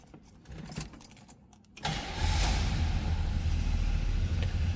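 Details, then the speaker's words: 1970 Oldsmobile Cutlass Supreme with a Rocket 350 V8: a short crank, then it fires right up and settles into a smooth, deep, even idle; a healthy start. "Fires right up."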